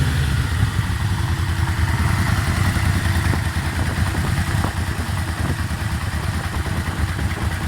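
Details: Yamaha Vmax V4 with an added oil pressure gauge, fully warmed up with oil at temperature, microphone moved to the noisier side of the bike: a deep lumpy idle with faint sharp knocks about every second; knock appears when warm, cause unclear, owner suspects oil pressure.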